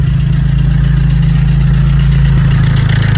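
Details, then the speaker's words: Vauxhall Corsa D 1.3 diesel idling just after starting, following number 2 injector replacement and coding (after ECU water damage and EEPROM swap): steady even low thrum, no misfire, no dashboard lights; normal diesel idle. "lovely sounds good as well excellent norville misfiring excellent I don't have any lights on the dashboard brilliant"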